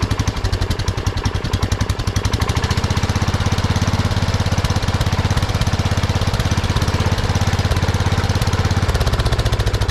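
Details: 1979 Kohler K301 12 hp single-cylinder riding mower engine after electrical and carburetor fix: slightly uneven, lumpy idle from worn throttle shaft, though it runs well wide open.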